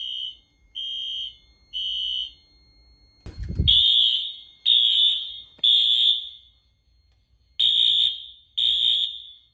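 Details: 2000s Wheelock AS fire alarm horn on Fire-Lite MS-9200UDLS panel sounding in groups of three blasts, tone slightly wavering from running on unfiltered AC power.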